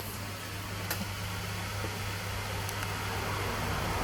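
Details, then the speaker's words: Acer Predator Nitro 5 AN515-54 laptop under a render benchmark with NitroSense cooler boost enabled and the mic held close: steady loud airy whoosh over a low hum, no grinding or ticking; fan at maximum speed, somewhat noisy but normal. "Itu bisa didengar suaranya, agak bising ya kawan-kawan ya."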